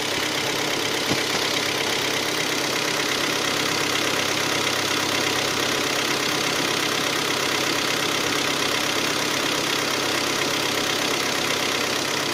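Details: Hyundai ix35 G4KD engine, 66,000 km, cold idle after 12 hours standing outdoors: a steady knock about 165 per minute over a hissy top end; piston slap from scoring in cylinders 2, 3 and 4.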